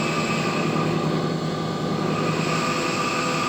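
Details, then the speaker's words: Carruthers AE5000-2D machine on test run: steady drone with thin constant high whine from a noisy bearing in the gang knife motor. "the Spire or excuse me the gang knife motor has a noisy bearing in it you can hear"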